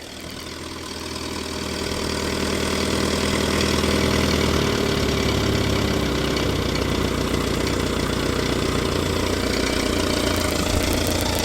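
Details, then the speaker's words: Small classic four-cylinder in the garage with the air cleaner off after fettling, warming up: settles into a steady, even idle within seconds, no misses or knocks; a better idle than before. "yeah that sounds all right doesn't it didn't it yeah it's a better idle than it"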